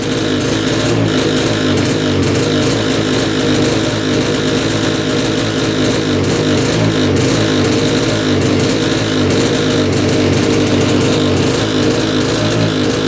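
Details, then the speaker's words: 1965 Tatran 125cc two-stroke scooter, first run after 40 years: flat drone at full throttle that won't climb in pitch, with heavy oil-smelling smoke; not revving out, owner suspects gone crank seals. "I'm Full Throttle right now and just puffing out a lot of smoke smells like oil that's Full Throttle it's getting a little bit better there not revving"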